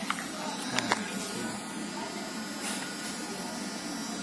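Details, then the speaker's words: Gold Small eyebrow embroidery pen machine with speed control dial, running on its adapter; soft, steady, quiet and stable buzz with a few light handling clicks at the start; normal smooth running. "Nah, ini getaran mesinnya seperti ini ya kawan-kawan semua. Ini kalian bisa dengerin getarannya, ini cukup pelan dan cukup stabil banget mesinnya."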